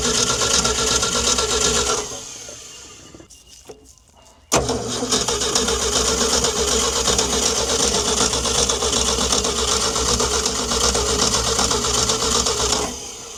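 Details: Old Ford D Series petrol fire truck, sitting 16 years, after scraping corrosion from the distributor cap: steady starter churn near three beats a second, a pause, then more cranking without catching; cranks but won't start, spark later confirmed present.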